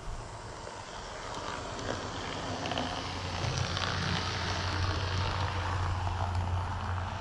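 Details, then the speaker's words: Model train locomotive, back from shop work, skirts removed: gritty whirring with a low steady buzz building after a few seconds, like a weed eater, unlike its quiet sister engine; abnormal motor buzz, cause unclear. "And that sounds still like it's got a weed eater running in the back seat of it."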